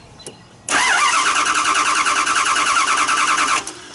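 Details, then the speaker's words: 2009 Dodge Durango cranking without starting: steady quick starter rhythm for three seconds, never catches; 0 psi fuel pressure against about 49.5 psi needed; relay pin 86 being checked, fuel pump suspected. "At least I need to have a fuel pressure, at least 49 psi, 49 and a half psi, and without no psi is why the truck doesn't start. We missing fuel."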